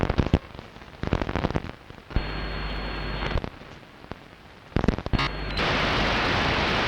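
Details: Long wave radio reception at 01:34 UTC on 6 June 2012, with DSL modem and router off and not from the home: irregular crackling bursts and sharp pops, then steady static hiss; interference source unknown.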